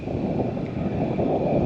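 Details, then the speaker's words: 2024 Jeep Wrangler 4xe plug-in hybrid at 65–70 mph on the highway: a steady rushing roar of wind around the boxy body with a constant whistle, as if a luggage rack were fitted. The all-terrain tires are not the main noise source. "but when you're going down the road you can hear whistling you can hear the noise sounds like there's a there's like a luggage rack on top you can just hear the noise everywhere the wind"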